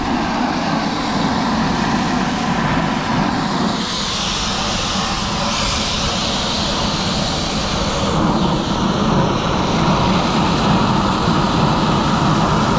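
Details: Fire-fighting water pump, after its failed Φ90 foot valve was replaced and a leak was fixed: an even, steady rushing drone with a low hum beneath, no knocks, surging or squeal; it runs smoothly under load.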